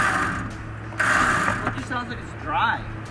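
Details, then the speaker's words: Warn winch pulling a wrecked Jeep Liberty front end: loud rough gear whir that surges and rasps under load; gears described as permanently lubed, owner thought noise might be reverberating through the bumper; noisy winch, cause unconfirmed. "when i first ran it i thought it was the most noisiest thing i ever heard but then i thought it was just very i looked up the instructions it says they're permanently lubed"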